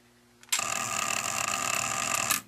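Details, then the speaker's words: Zenith Space Command 600 remote-control chassis, model S77 536, from a 1970 color TV, after alignment to the mechanical remote: continuous high buzzing chatter for about two seconds as a relay sitting off to the side fails to pull in, though it is known to work. "you can see how the relay there doesn't want to kick in cuz it's off on the side but we know it works Channel lower you can hear the pilot relay click mute perfect and channel higher so we now know everything is working"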